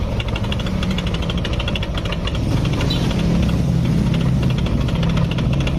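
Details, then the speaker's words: Yamaha NMAX scooter engine idling with a fast metallic ticking rattle over the hum, diagnosed as a worn cam chain tensioner, which is then replaced. "kalau suara seperti ini bisa teman-teman langsung vonis permasalahannya di bagian tonjokan keteng langsung saja enggak apa-apa yakin kalau suara kayak gini yakin masalahnya di bagian Tensioner penekan keteng tonjokan keteng yakin"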